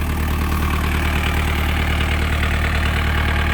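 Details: 1998 JCB 208s (1CX) diesel backhoe loader, after rebuilding its clogged injector pump: even idle with steady, regular firing pulses and no misses or rattles; engine running healthy.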